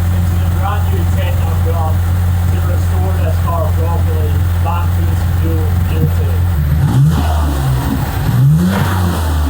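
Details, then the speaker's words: Mitsubishi GTO Twin Turbo (3000GT VR4), previously revving to limiter, after IAC valve check, 3SX fuel pressure regulator install and helicoiled intake plenum threads; steady, even idle then clean throttle blips that settle back without hanging, running fine. "Hopefully it turns on and it idles nicely, but we're going to find out. Like it's running fine. Thank God."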